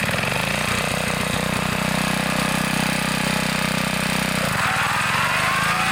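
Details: 1960s Bolens Lawn Keeper 28-inch riding mower mowing under load with deck raised near maximum height: steady, even engine drone with a slight dip and recovery near the end; engine sounds healthy while cutting.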